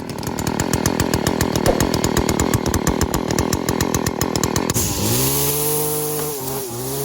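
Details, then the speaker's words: Stihl FS 40-C string trimmer with opened-up muffler revving flat out with a crisp, steady high buzz and no bogging, then dropping cleanly back to idle; running healthy. "this thing doesn't bog down at all as soon as you open up a muffler on on a weed eater"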